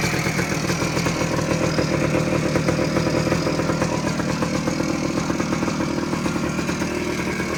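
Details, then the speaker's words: 1979 Suzuki PE250 two-stroke, revived after sitting a couple of years, 40:1 premix, clutch cable not yet fitted: even crisp ring-ding idle, no stumbling or hunting, owner thinks no air leaks; sounds pretty good, normal idle. "see sounds pretty good I can't ride it yet because I don't have the clutch clutch cable just yet"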